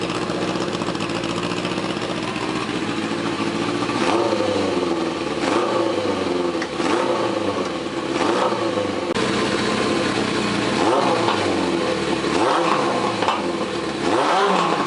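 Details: 1981 Suzuki GS850 four-cylinder, exhaust finished, temporary hacked ignition wiring, carbs untuned and unsynced, timing unset. Picks up cleanly on repeated throttle blips and drops back to steady idle; sounds pretty good, normal running; owner thinks new ignition system needed.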